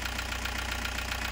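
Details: Toyota Hiace 2KD diesel after repair, restarted following a long crank to bleed air from the high-pressure line: even, steady diesel clatter at idle with no stumbles, shakes or misses. Previously it shook and lacked power. Normal idle.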